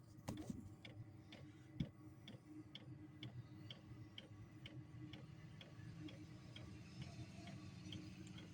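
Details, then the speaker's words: Amazon diesel heater run on kerosene, first start of the season, fan and igniter on: soft even ticks about twice a second over low steady hum as the fuel pump pulses; normal fuel pump ticking. "Once it starts clicking, that's the fuel pump doing its thing."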